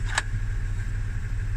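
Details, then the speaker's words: 2005 Audi A6 C6 after fixing stuck steering lock that caused no-start: steady, even idle hum with faint constant whine, no misses or knocks; normal healthy idle. "uh the car is running everything is fine now"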